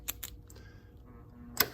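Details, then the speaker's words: Starter solenoid from a 1990 Jaguar XJS V12 convertible, bench-tested with a battery charger on the flange and small terminal. A few light ticks, then one hard metallic clack as the plunger pulls in with authority. Normal solenoid pull-in. "It pulls it in with authority. In fact, it'll shoot it out the other side if you're not careful when you take the current out."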